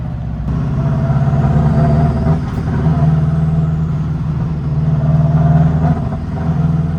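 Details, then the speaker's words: Subaru WRX-engine-swapped Beetle (about 300hp, turbo) on the road after swapping in cheap replacement ignition coils: under load it still stumbles and surges unevenly, with a ragged low drone that breaks up, arguably worse than before. It is a misfire from fuel starvation caused by a clogged fuel filter. "All right, we got this ignition coil swapped and it's doing the same thing. I'll show you again what it's doing."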